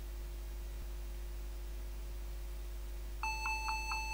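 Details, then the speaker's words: Dell Inspiron N4010 laptop: after a quiet hum, rapid nonstop beeping at power-on, no keys working, from a shorted keyboard; fix is replacing the keyboard. "it's beeping and irritating me every time when I turning on this laptop no keys are working this is a 100% keyboard problem"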